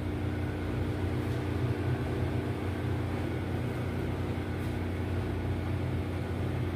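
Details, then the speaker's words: Besat fully automatic washing machine on a spin-only test, with a spin problem and noise in spin mode: steady low motor hum with a fixed drone that never reaches spin speed; the drain pump seems not to be opening and the brake keeps holding. "So titingnan natin dito parang hindi nago-open din ung kanyang ah drain pump yan guys"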